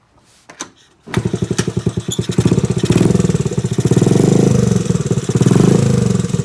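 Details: Restored 1986 Honda Z50R pit bike with aftermarket exhaust: kicks to life, fast even idle popping, clean throttle blips. Runs properly.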